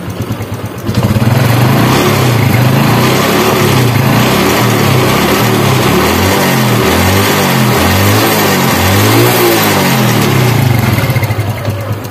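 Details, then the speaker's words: Honda Revo Absolute fuel-injected motorcycle after replacing the rattling cam chain and tensioner roller, oil primed into the tensioner: engine blipped a couple of times with an even, clean exhaust note and no rattle; top end healthy. "Guys suaranya sudah halus kembar ya jadi begitulah ya guys tutorial cara melakukan pergantian Rante Keteng nih dan roket Tengah"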